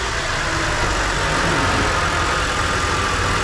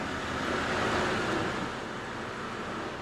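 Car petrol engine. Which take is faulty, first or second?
second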